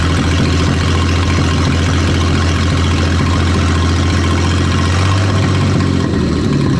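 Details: 1938 Dodge flathead six after sitting 40 years, cranked and run on 6 volts with generator wire hooked up: low, even idle with a steady unbroken beat and no knocks or misses; running smoothly.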